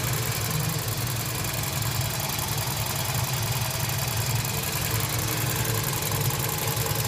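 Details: Toyota Voxy with a 1AZ-FE engine at 300,000 km, idling with slight white smoke: a faint, fast knock rides over the engine hum; internal knock of unknown cause.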